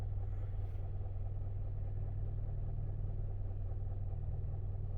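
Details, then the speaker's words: 2015 Hyundai Sonata, hot engine, idle and road test: fast uneven low knock under the engine rumble, about two per second, from the lower end, with power down; worn bottom-end bearings, engine judged shot and needing replacement. "it's starting to Make Some Noise uh it sounds like this thing's got some lower end noise too it's not it's definitely not smooth"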